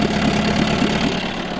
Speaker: so as you can hear in the background it's running it took a little going to start with that was primarily because last time it was run we ran it completely out of fuel as you can hear it runs up absolutely fine